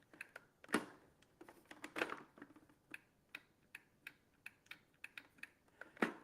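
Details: Small appliance's handle micro switch, after apparently sticking from sitting unused: crisp, light clicks at a steady rate, about two a second, in a quiet room; the switch now makes and breaks freely.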